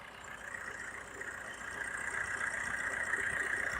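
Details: Used car at idle with the air conditioner on during a pre-purchase inspection in India: steady even hum with idle held higher under AC load, normal.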